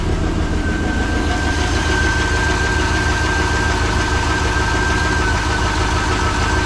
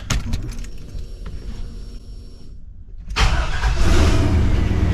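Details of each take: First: 1986 Chevrolet C20 Suburban with LS-swapped 6.0 LQ4 V8, test-fired after cam gear work (P0343): heavy lumpy idle rumble with rapid ticking puff from exhaust leaks, otherwise firing up well. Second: 1986 Chevrolet C20 Suburban with 6.0 LQ4 LS swap, test fire after replacing cam position sensor (code P0343, loose cam gear): about three seconds of cranking, then fires cleanly into an even run; exhaust leaks remain; normal start.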